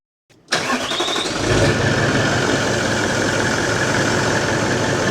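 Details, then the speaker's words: Toyota 79 Series LandCruiser diesel, first start after replacing the failed turbo (it went into limp mode under load): brief crank catches at once into a steady, even diesel clatter with no turbo scream; healthy start. "He runs. She runs. I'm going to bleed the coolant. Let it run."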